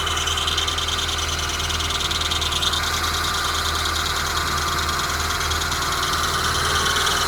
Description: While Engine is cold, some squeeking noise comes on, until engine reaches working temperature.